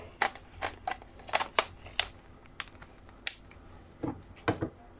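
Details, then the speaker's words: Canon lens without STM, autofocus hunting: irregular bursts of dry clicks and brief whirs, a noisy and very slow autofocus motor taking a moment to lock focus. "lensa ini autofokusnya sangat sangat sangat sangat sangat lemot"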